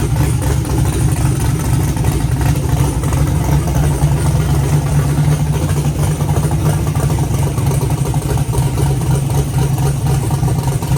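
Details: Car idling with fans cooling it after two quarts of fluid were added to a used automatic transmission that whined on its first test drive (pump suspected); even deep idle, no whine, more responsive, owner hopes low fluid was the cause.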